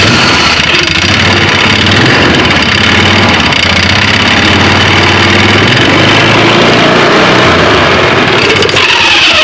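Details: 2009 Polaris Sportsman 500 ATV, belt cover off: engine revs up loud and steady but the drive doesn't pull; outer pulley jerking while inner pulley spins and slips. Worn driven clutch with rub blocks completely worn off lets the CVT belt slip under load.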